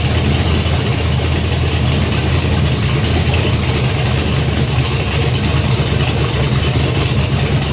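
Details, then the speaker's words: Junkyard GM LS 5.3 V8 on an engine stand, first fire with a Fitech Ultimate LS kit, 20 psi oil pressure, no coolant, run briefly; loud, steady, even idle with no ticking or knocking, a healthy runner. "Nice. Sounds good. Let's go ahead. Let's do a few more seconds. Just because. Sounds good. And we have a runner. So I think the thing sounds pretty good."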